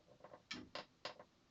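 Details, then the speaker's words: 45-year-old Commodore 2040 IEEE-488 disk drive after modding with device ID switches and reset buttons: brief mechanical clunks and a short click burst as it powers up and homes its head, booting successfully on second try with power switch flipped. "There we go. It's successfully booted."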